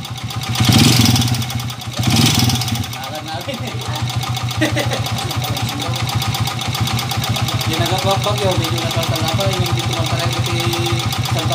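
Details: Honda TMX125 single-cylinder motorcycle, previously converted to 155 and being returned to stock: after two blips it idles rough and loud with a steady clattering knock from the connecting rod; overhaul planned.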